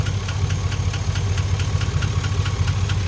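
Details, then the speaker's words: GMC truck with high mileage, warm engine: light crisp ticking about twice a second over steady idle, owner is almost positive it comes from the driver-side top end; suspected lifter tick, a common issue on these trucks, before teardown. "cuz I definitely don't hear it over here it's it's 100% on this driver side but if any of you guys ever heard ler tick this is this is common especially on these trucks with this many miles"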